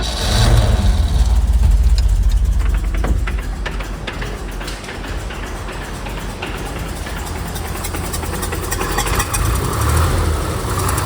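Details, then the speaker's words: 1969 Chevy C30 one-ton six-cylinder oil-field rescue, temporary exhaust fitted: low uneven rattle over rough idle, about three clatters a second, vanishing with clutch pushed in even when revved; throwout bearing, with slight top-end noise from valves out of adjustment. "So that rattling noise is no doubt the throw out bearing Hear some top end noise a little bit, but I just the valve valve out of adjustment. But check this out. Push the clutch in, the rattle goes away."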